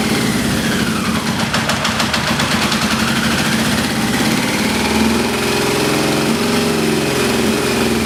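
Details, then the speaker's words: XJ650 four-cylinder motorcycle, after transmission fluid was put in the cylinders for a suspected sticky valve. Lumpy idle with sharp ticking and one cylinder dropping out. The cause is a dead spark plug plus a holed exhaust that mimicked a sticky valve. "I think I had a hole in my exhaust and that sound like a sticky valve however putting the transmission fluid in there and creating all that smoke when I finally ran the engine did identify that there's a hole in the exhaust"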